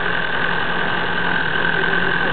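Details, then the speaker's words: Cold diesel idling right after fuel filter change, smoking, no leak: steady rattling knock under a thin high whine; owner suspects air, then the injection pump. "D'ailleurs il fait un drôle de bruit, il claque ou... Il y a un bruit aigu là, genre."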